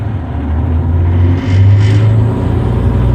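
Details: Terex articulated rock truck, Cummins M11 diesel, after fixing transmission stuck in neutral: rumble dips then picks up smoothly as first gear engages with brake off, no clunk or grind; drive engaging normally.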